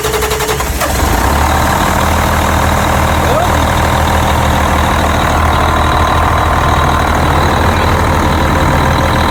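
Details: Cummins QSM11 loader diesel after replacing a shorted solenoid that cut power and stalled it: short crank, catches within a second and settles into a steady, even idle with no misses; running normally.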